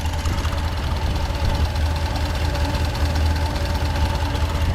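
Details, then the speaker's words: 1970 Ford F100 V8 with Holley Sniper EFI, idling while warming up around 138–160 degrees: rough puffing tick over low rumble; exhaust leak at idle, engine later stalled at 160. "much much much more better now you can really hear the exhaust leak what the heck guys come on in check this out"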